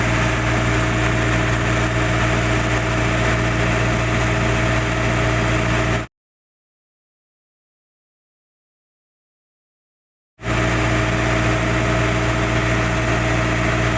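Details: Generator set test run after replacing a bad starter motor: a steady, even diesel drone with a firm low hum and no knocks or misses, running healthily.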